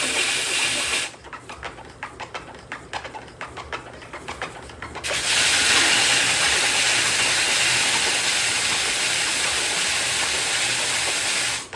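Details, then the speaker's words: A DIY guitar rim sander is working on a rim that has not been sanded at all yet. Uneven, rapid chattering ticks give way to a loud, steady sanding hiss as the rim is not yet matched to the dish shape. "And you can hear it's not quite to the shape of the disc yet. You hear it kind of chatter a little."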